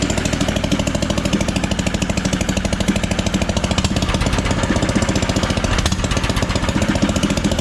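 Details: Engine swapped into a John Deere AMT600, open pipe with no muffler, running after draining the carb bowl following flooding: loud slightly uneven thumping at fast idle; still running rough.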